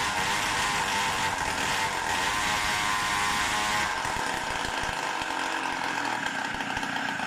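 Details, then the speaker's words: Tuned Samurai 40cc two-stroke at 40° base advance, 38° in the rev range; buzzing note holds a flat pitch then sags, won't rev past about 8000 rpm, like symptoms years ago. Cause unconfirmed. "at rev range it's already up to 38 and it still does not rev well it starts to resemble the symptoms it had before(years ago) it does up to 8000rpm or so but not more"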